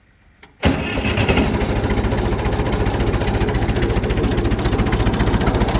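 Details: Massey Ferguson 65 tractor, after its broken oil pan was repaired, catches on the first try and settles into a steady, even idle with a clean, regular beat: normal start and idle, no longer-term test yet.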